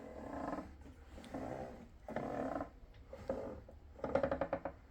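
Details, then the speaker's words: Rexon GT80 mitre saw during servicing, head reassembled but not yet bolted to the base: squeaky, groaning creaks each time the head is swung by hand, like a chair taking weight; source unknown, seems near the top, movement smoother than before. "It sounds like somebody getting off and on the chair. I don't know. It sounds like it's up here."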